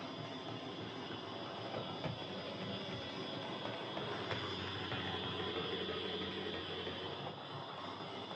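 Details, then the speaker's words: Hornby Dublo R1 0-6-0 tank locomotive, possibly about 60 years old, well run with brushes worn right down, running on layout after adjustment: steady high whirring clatter with rattly edge, much louder than it should be. Loud gear noise. "Okay, so as you could no doubt hear there, this is a tad loud. I've been fiddling with this a lot to try and reduce the noise, as these old Dublo motors are tricksy things."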